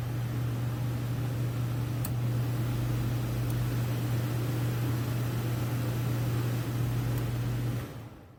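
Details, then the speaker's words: Dometic 13,500 BTU non-ducted RV air conditioner in a camper, fan only on low: steady low hum with even airflow hiss, no rattles or scraping, spinning down near the end; fan healthy. "So I'm going to go ahead and start it up on fan only first, on low."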